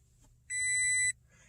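One clear, steady high beep lasting about half a second, the warning that no fob is detected because its battery is dead.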